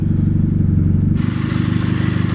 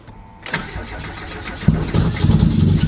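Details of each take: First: 1990 Mazda Miata with a newly installed replacement engine, on first start: a slightly rough start, then a lumpy idle with a light, quick lifter tick, which is considered normal for a Miata. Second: 1990 Mazda Miata, first start of its new engine: starter whirs briefly, the engine catches and stumbles before settling into a lumpy idle with slight lifter tick; rough start, lifter tick considered normal for a Miata.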